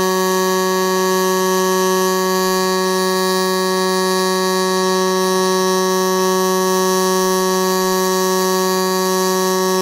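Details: Millermatic 255 running pulse MIG with 90% argon/10% CO2 shielding gas, laying a bead: steady, even, low buzzing hum that pulsates; normal stable pulse MIG arc.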